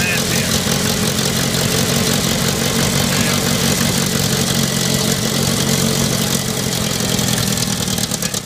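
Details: Later-model IH Farmall Cub tractor before tune-up, choke linkage disconnected, jump-started after a dead battery: little engine chugging raggedly at idle, uneven firing that never smooths before dying; runs real bad, worn, badly adjusted carburetor.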